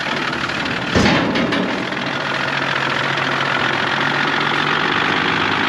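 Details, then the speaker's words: Engine ticking at idle in a vehicle that still drives: it starts and settles into a steady idle with a faint, quick tick on top and no smoke; owner unsure, suspects a big end. "it's got a really weird ticking noise I don't know I'll start it up for you in a minute and um drive it off the trailer"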